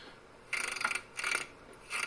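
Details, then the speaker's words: 2011 Cadillac CTS rear-wheel drive, suspension moved by hand: dry rasping creak in three half-second bursts through its travel, from worn lower control arm bushings, not the shocks. "the suspension travels and I'm manually making it travel there it makes that creaky brownie squeaky sound that you might hear maybe going over bumps or something"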